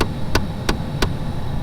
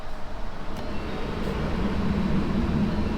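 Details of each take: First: 2011 Mustang Shelby GT500: sharp clicks about three a second over fan hum when the defroster vent is selected, a failing HVAC blend door actuator behind the dash, fixed by replacement. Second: A 2011 Mustang Shelby GT500 with a new blend door actuator (Duralast 604-262) gives the steady low rumble of the climate system. The clicking from behind the dash is gone, and the actuator works normally after replacement.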